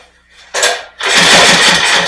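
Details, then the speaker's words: Rear-engine Snapper mower, sat for years, open carburetor with no air filter element: brief catch, dip, then a harsh uneven run hunting for speed and trying to stall. Running way lean; carb adjustment didn't improve it. "It's definitely running way lean."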